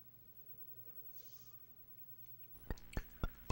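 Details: Famicom Disk System after spindle alignment recalibration: quiet hum, then four even clicks about a quarter second apart as the drive loads; a normal read, the drive works now.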